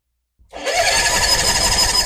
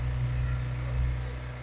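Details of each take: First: Kohler marine genset on a boat, test run with the shield off right after a spark plug change. It cranks and catches, runs slightly ragged, then gives a sharp pop. A slight misfire and backfire on startup. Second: Kohler marine genset on a boat, test run with the shield off after a spark plug change for a low-output issue, with no load applied yet. A steady low hum with even firing and no knocks or misses. Normal running.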